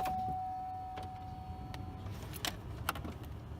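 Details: 2004 Chevrolet Impala after fuel pump replacement (old pump failed in winter): at key-on a clean steady hum for about two seconds, then cuts off with a few clicks; normal fuel pump priming, then it fires right up.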